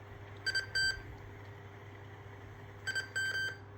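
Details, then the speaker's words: Sony WM-EX618 cassette Walkman, near-mint, playing through an amplifier: automatic music sensor search when rewind is pressed during play gives two short clusters of high chirping beeps over faint motor hum; normal cue finding the song's start. "And this one also has the automatic music sensor, as when you press play, rewind while it's playing, this sound, it means is I'm going to the beginning of the song and stop and play."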